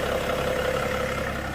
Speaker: And it's running absolutely perfect. Running really smooth as you can see. No shaking, no vibrations, no nothing.